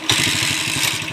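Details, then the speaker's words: Honda TMX155 single-cylinder motorcycle at idle, noise persisting after timing gear replacement: rough idle with heavy, regular thump every turn under the exhaust note, diagnosed as a badly worn connecting rod, later replaced. "boss connecting rod connecting rod na to connecting rod connecting rod na to boss kay yan oh Malala na yung connecting rod niya"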